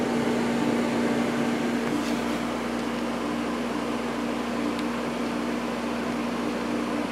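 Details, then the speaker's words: Climatrol window AC (Rotorex compressor) on low cool, quiet fan, getting nice and cold; even steady fan rush with low compressor hum, no rattles or cycling; normal running. "Fan on this one is pretty quiet as well. This one seems to be working great. It's getting nice and cold."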